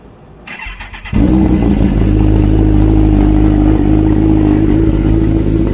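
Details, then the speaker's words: 2008 Kawasaki Ninja ZX-14R, one-owner, with Brock's 4-into-1 exhaust and Power Commander III. On startup it settles into a fast idle with busy metallic chatter. Owner attributes this to the cam chain tensioner, likely worn, and plans an aftermarket manual tensioner. "you got a famous rattle the kawasaki rattle be from the timing chain one of the timing chain tensioner"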